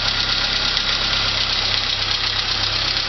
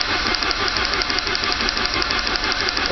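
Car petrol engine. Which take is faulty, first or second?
second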